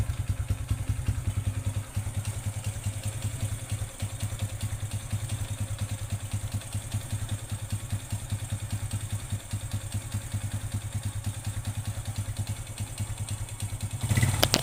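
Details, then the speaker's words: Honda Revo after running out of engine oil, warmed about 2 minutes: rough, hard tek-tek knocking about 2.5 per second over idle, unchanged when warm and louder on throttle; mechanic suspects piston damage, possibly rings. "suaranya masih Putuh ya masih kasar dalam arti tidak ada perubahan ini Prediksi saya itu ini di bagian piston itu mengalami kerusakan"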